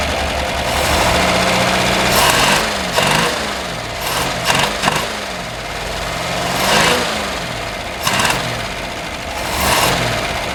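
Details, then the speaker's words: 1961 Ford Falcon, abandoned 15 years, first start on a shot of carb cleaner with the accelerator pump shot: uneven, lumpy, stumbling idle with occasional stronger pulses; rough idle, owner suspects a dead cylinder. "a hot dog would you look at that it even idles sounds like it might have a dead cylinder"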